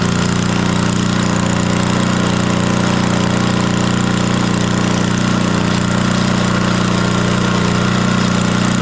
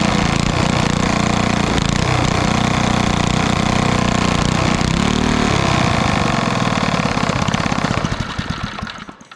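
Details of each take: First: 1964 Wards Power Kraft 110 V 1250 W generator with a roughly 3 hp Briggs & Stratton engine, started after long storage with the choke off and good spark: loud, steady drone with an even beat, holding speed; running after long storage. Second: 1964 Wards Power Kraft 1250 W generator with about 3 hp Briggs & Stratton engine: steady high drone, then the beat slows and it dies within seconds. Will not idle; owner unsure, possibly no idle circuit.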